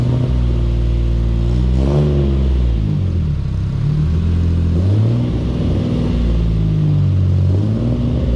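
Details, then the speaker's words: Datsun 240Z first drive after getting it running, lumpy cam, then ran out of fuel; uneven lumpy rumble stumbling as revs rise and fall, sounding like three cylinders; cause suspected, not confirmed. "she started running on three cylinders there when I uh pulled it out of the shed"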